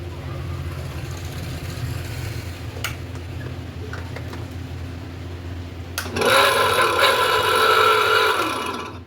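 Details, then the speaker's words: Tullu pump motor after rewinding, on first test run: loud, rough, gritty roar starting about six seconds in; wiring reported correct; bearings and impeller to be checked. "देखिए दोस्तों ये आवाज कर रही है बहुत ही इसका बैरिंग और एंपुलर चेक करना होगा।"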